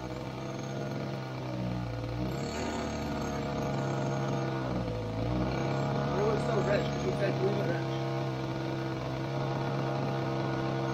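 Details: Glow engine in Ewan's Limbo Dancer model plane on its first engine run-up, needles opened a bit, fuel sucked up by hand: a high-pitched buzz climbs and sags unevenly, blubbery at low speed. Very rich at the bottom end; top end not too bad.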